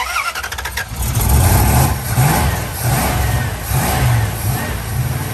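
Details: 1969 Dodge Dart V8 after a new distributor and ignition repair: brief crank, catches, steady idle, clean revs; runs and drives fine, though a burnt valve or two is suspected.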